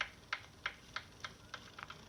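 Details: Saris H3 bike trainer: crisp clicks about three per second, slowing and fading as the wheel spins down when pedalling stops; cause unknown.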